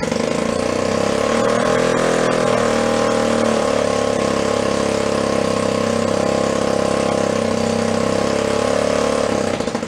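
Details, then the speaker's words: 1937 Sears Water Witch 2.5 hp two-stroke outboard, 83 years old and stored in a shed, first run after revival, mounted in a vise. It buzzes at a steady fast pace, holds speed evenly and then winds down: running cleanly. "good she'll dial right in that was much easier than expected"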